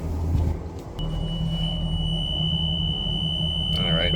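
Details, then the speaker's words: Boston Whaler 330, Mercury JPO power steering, engines running: steady high alarm tone over engine rumble after a pump signal driver is deliberately unplugged; steering fault alarm, pump-inactive code. "we should get alarm here also cuz I just unplugged"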